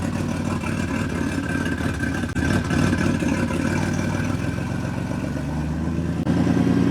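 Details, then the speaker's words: Ford Mustang 3.7 V6 big single turbo build, first start after engine swap, oil drain lines to be rechecked: deep, steady idle with even low rumble and slight rev blip; runs cleanly, no knocks or misses. "I'm going to kill it for now cuz I want to double check that the oil drain lines are all good that sh sounds [ __ ] meaty dude"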